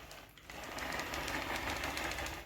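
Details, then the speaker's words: Traxxas TRX-4 crawler with the motor fitted, drivetrain turned by hand: fast, dry mechanical clicking; without the motor it's quiet apart from the spur slapping; owner concludes the clicking comes from the gearbox. "so guys that's pretty much it i mean that's my rendition of where the clicking is coming from the clicking is definitely coming from the gearbox"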